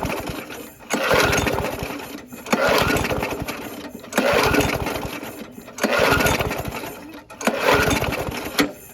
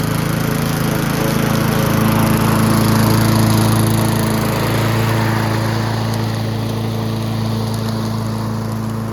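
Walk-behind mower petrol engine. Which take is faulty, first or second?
first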